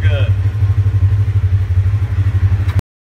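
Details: Polaris RZR 1000 after replacing shorted injector connectors (which caused rough idle, cutting out, power loss, check engine light): low, steady pulsing idle with even beats, no stumble or cutting out; runs smoothly, no check engine light.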